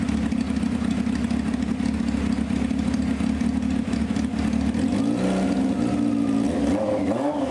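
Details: 1995 Honda CBR F3 just revived with new plugs and oil and bottle-fed carbs: a loud, steady four-cylinder bark with crisp throttle blips and an even rhythm. It sounds really solid and healthy; carburetor leaks are found afterward.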